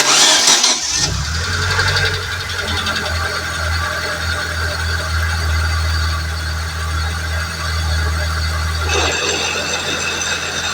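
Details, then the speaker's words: Suzuki Fun with no drive, started cold with the clutch fully depressed and slowly released, heard with the hood open. A rough, uneven clattering grind over the idle, from the axle's inner CV joint splines slipping at the gearbox. "Bueno no sé si llegan a Escuchar el ruido que hace ahí hace un ruido mal raro"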